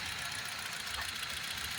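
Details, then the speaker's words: 1.6 petrol car with check-engine light, fault code P0204 injector circuit open cylinder 4, caused by rodent-cut injector wire: uneven, lumpy idle as one cylinder misses. "तो आप आवाज भी सुन सकते हैं गाड़ी का गाड़ी का आवाज कैसा आ रहा मिसिंग कर रही है य आवाज देखो गाड़ी का पूरा मिसिंग कर रही है"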